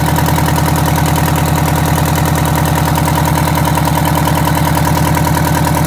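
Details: Detroit Diesel 8V92TA in a Wanderlodge RV: loud diesel clatter at idle with a slightly uneven beat about 200 per minute. A cylinder is missing from a bad injector; the liners were also found scored and cracked.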